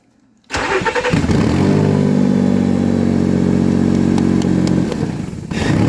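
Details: Nissan Xterra 4.0L V6 with an intermittent no-spark no-start: the starter cranks, the engine catches and idles evenly, then sags; the cause was a faulty IPDM module.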